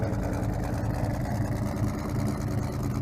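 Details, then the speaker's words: Ford Mustang started for the first time after sitting 8 months, with prior motor problems and a charged battery: a rough, lopey idle with an uneven low thump. It is not a cam but a bad misfire at idle. "That ain't no cam, that's just a bad misfire."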